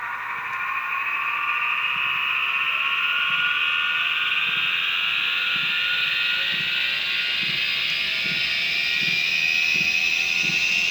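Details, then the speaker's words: BH Fitness T8 treadmill, Turdan DC drive motor: high electrical whine climbing in pitch as speed ramps up from about 5, clearer at lower speed; worn motor bearings, motor likely to fail. "You can really hear it at that lower speed a lot better. But this is definitely a surefire way to tell that there's something wrong with your motor."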